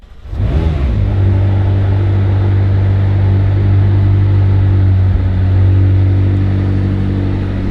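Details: Crash-damaged McLaren 600LT after rebuild, pyro fuse jumped, radiator broken so run briefly: catches quickly and settles into steady, deep, even idle with no knocks or misses; dash shows no faults, sounds healthy.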